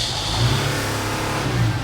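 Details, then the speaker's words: Mercedes Sprinter diesel van that loses power and goes into limp mode, revved with the hood open: a faint airy hiss rising as boost builds. It is a boost leak under the hood causing the power loss. "That's the problem, guys. There is a hissing sound coming from under the hood."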